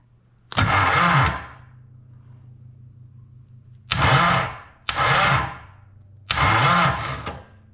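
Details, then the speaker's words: Snowcat build engine with a newly mounted starter and brand-new flywheel, oil in cylinders, hot-wired by jumpering the solenoid: four short cranking bursts with a harsh whir that hangs on; starter pinion sticks until a compression rollover, then kicks out. "Well, the starter gear there did stick a little bit until the engine made a complete compression rollover, and then it kicked out on its own."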